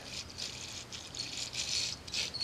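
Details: 85 HP Force outboard with the power head pulled and case split: crankshaft bearing turned by hand gives a gritty, uneven rattle in quick high-pitched bursts; needs disassembly and cleaning.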